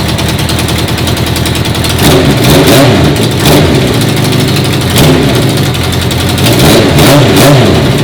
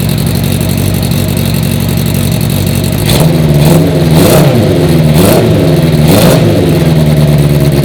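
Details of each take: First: 1980 Honda CB650 carbureted bobber, first start after the carb O-ring fuel leak was fixed. Loud, uneven note that surges and dips every second or two off choke. The owner says the carbs suck in too much air and need modifying; it runs better on choke. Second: 1980 Honda CB650 four-cylinder bobber. Steady, even burble with a few clean throttle blips that rise and settle smoothly. It runs way better, even with the choke off.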